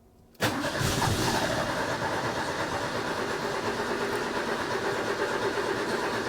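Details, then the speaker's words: Ford bullnose pickup 300 cu in inline six, first start after swapping single-barrel for two-barrel carburetor, choke set, out of gear: fires instantly after short crank and settles into smooth, even idle with steady beat, no misses or knocks. "I did not expect that to actually work. Not that quick. My goodness. That is amazing."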